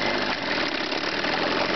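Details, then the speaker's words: Chrysler 9.9 hp outboard with the low-speed carburetor mixture screw set too lean: rough, uneven idle with irregular stumbles and skipped beats; a lean misfire, cured by backing the screw out about a quarter turn. "okay I got one to run lean here this is the misfire they do when they're lean how to remedy"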